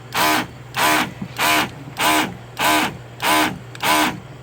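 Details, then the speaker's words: Splendide 2100XC washer filling with warm water for its first load: rhythmic whooshing surges about 97 a minute over a steady low hum; the pump runs unusually loud, cause unclear. "why the hell does it sound like that though the machine is filling up with warm water for its first load and if that's how that pump sounds all the time when it's running I'm going to lose my mind"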